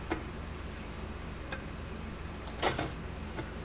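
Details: 1987 Parmak Super Energizer SE-1 fence charger during repair, after fitting a new gauge; sharp single ticks about every second over quiet room hum, evenly spaced, pulsing normally.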